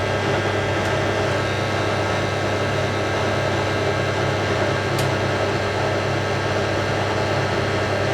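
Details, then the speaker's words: Hotpoint 9530 Electronic 1000 Plus washing machine, after repair (burnt neutral wire on mains lead replaced), final spin with twin bedding load: even, smooth whirring hum with no knocking, banging or scraping; clean, well-balanced normal spin. "All we've been waiting for, the final spin. Beats me nice and smooth. Good. That's perfect smooth."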